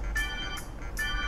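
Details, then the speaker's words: MacBook Pro laptop speaker playing music: treble fine but buzzy crackle on bass-heavy beats from a damaged speaker. "แต่ว่าถ้าเพลงที่มันมีเสียงเบสเข้ามาผสม"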